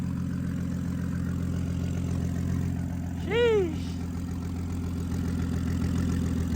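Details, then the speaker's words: BMW F10 535i N55 turbo six, first startup after installing a DIY big single-turbo kit and fixing an oil leak, idling in eco mode: steady, even low rumble with no misses, knocks or whine; healthy idle. "Nice. So, here you go with the first startup. Right now we're just um idling right now because I got it in uh regular eco mode."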